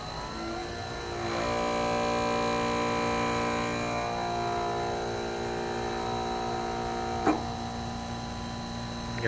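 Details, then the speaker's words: Granite smithy with upgraded 2 hp motor and new electronics, first power-up: smooth, steady hum with even tones, no knocks or grinding, much quieter than the old motor. "It's so quiet compared to the old motor that's on here."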